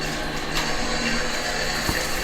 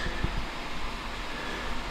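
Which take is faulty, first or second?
second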